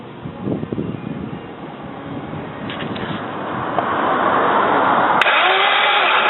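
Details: 1999 Saab 9-3 SE Convertible after head gasket replacement, new plugs, good battery, starter fluid sprayed, exhaust cam possibly one tooth off: starter churns about three turns per second but engine never catches; cranks, no start, cause unknown.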